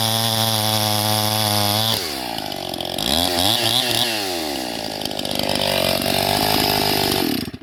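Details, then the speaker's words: First-generation Stihl MS261 with a gutted, ported muffler, oiled foam filter, rebuilt Zama carb with the high circuit tuned, 30:1 mix on 91-octane, at 7000 ft cutting dry ponderosa: a high scream, slight four-stroking at high rpm, then a steady strong pitch in the wood; a normal full-throttle cut. "so you can hear it it's still four stroking a little bit there in the high and at the high RPMs and then she settles down once you put her in the wood"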